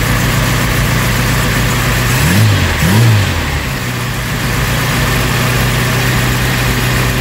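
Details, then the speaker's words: Vauxhall Cavalier Mk2 just after fitting a new starter motor, choke pushed in: engine catches and settles into a steady, even, smooth idle with no knocks or misses; normal idle. "There we go, choke's pushed in now, ticking over nicely."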